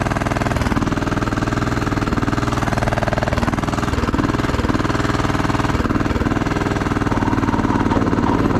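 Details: Craftsman T1200 riding mower engine with weak rough idle hiccup; compression seems very high, hard on starter; owner suspects valves, rough running cause unconfirmed.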